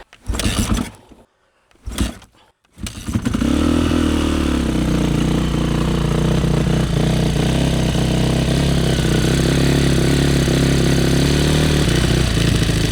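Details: Yamaha YZ450F motocross bike, first start after oil change, carburetor cleaning and hot-start troubleshooting, choke on and idle raised: after a couple of kicks the single fires and holds a steady, slightly fast, even idle.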